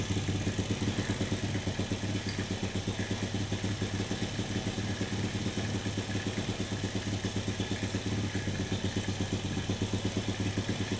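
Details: Motorcycle with spark plug always black, cheap carburetor, intake valve loose in guide; air screw opened 1.5 to 3 turns: lazy idle, dull even chug about three beats a second, rpm won't rise crisply — still running rich.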